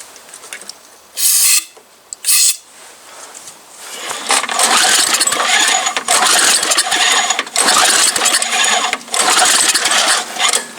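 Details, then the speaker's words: MTD Yard Machine snow blower small engine, sat about a year and a half, fuel possibly not passing the carburetor float, cold start with starting fluid and choke: short then longer uneven cranking spells, never fires; owner thinks the carburetor needs to come off. "I have to bring out a jump um extension cord. Spin it over with the saw. Nice shot. Really giving IT I think the carburetor needs to come off."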